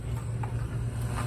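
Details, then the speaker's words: Sharp QT-12 boombox with an added Bluetooth board, just wired in: steady low hum under the audio, unwanted background noise reaching the amplifier; owner suspects noise from the Bluetooth module when inactive. "there are a couple of things going on with it you can hear a little bit of noise in the background Maybe"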